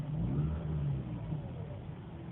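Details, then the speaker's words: Mazda RX-8 rotary on a warm start, stalled once, then a low, uneven, raspy idle sagging to about 500 rpm as if about to die again; no check engine light, owner suspects bad 89-octane gas; cause unknown. "it goes trying to die again really rough feeling kind of jumpy dropping down like dropping down to 500 and done and it feels like it's gonna die again"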